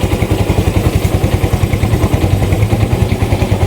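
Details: Yamaha Mio i 125 (M3) fuel-injected scooter that misfires, smokes heavily and starts unreliably, with an O2 sensor voltage that does not change and a TPS being recalibrated: lumpy, uneven idle thud three to four times a second, misfiring from an overly rich mixture.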